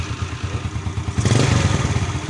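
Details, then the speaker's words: Motorcycle on a non-original 12 V battery with a 3,300 µF 50 V capacitor added: engine off, starter cranks with voltage dropping only to 11 V, considered good. Starter spins quickly and evenly, the engine catches and settles steady. Normal starter cranking. "kita offkan dulu mesinnya kita coba starter 11 volt untuk lagi ini drop voltase dari saat dilakukan starter sebuah motor Oke ini sudah termasuk bagus 11"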